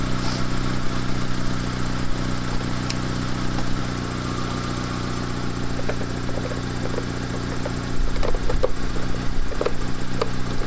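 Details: Mitsubishi Lancer CE, battery held its charge: a steady, even idle with no knocks, misses or whine, and the system is charging at 14.5 V.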